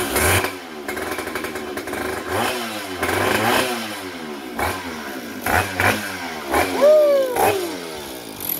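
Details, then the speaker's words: Vintage Stihl 031AV chainsaw with rebuilt Walbro carburetor, started after priming fuel into the carb: buzzy two-stroke catches, revs up and down in uneven bursts, keeps running once fuel arrives; normal start and run. "oh yeah she wants to run she sounds good pull primer a little more sometimes it takes a while for these things to pick up"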